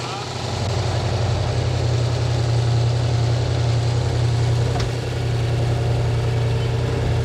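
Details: Freshly built Pontiac 455 V8 at first start during flat-tappet camshaft break-in: deep, lumpy idle with a steady low thump about three or four per second; suspected bottom-end knock, possibly windage tray contact, oil pressure good, cause unconfirmed.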